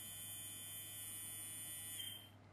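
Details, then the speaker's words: Small electric motor of a toy electric train, stiff and dirty, running after oiling its bearing: steady high even buzzing hum without rattle or labouring, sounds much happier; normal motor running. "we'll put a little bit of oil on the bearing that sounds a lot happier"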